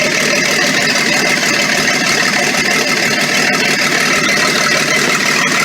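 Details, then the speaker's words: Ex-military Ford tug, sat 11 years, first start after a new starter: loud, raw, crackling, uneven idle with flames, run with no exhaust fitted (open header) and smoking a little. "Oh, I see flame. Sounds like an open header. Maybe there's no exhaust."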